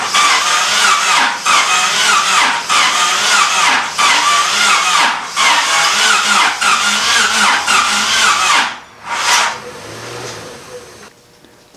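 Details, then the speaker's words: Honda D16Y8 SOHC donor engine for the Civic EK hatch build, cranked for the first time since purchase with a battery charger hooked up: the starter spins fast and light at about three even beats a second with no catch, indicating low compression, with no rattling heard. "Well, it's definitely got low compression, but I don't hear anything rattling around in there."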